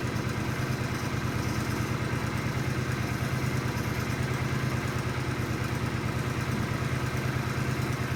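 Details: Countax ride-on mower tractor single-cylinder engine revived, warming up: soft, even low idle thrum with no knocks or rattles; runs healthy and sweet, oil on bolts may smoke.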